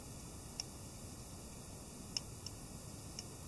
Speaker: you can probably hear that you can actually hear that really really noisy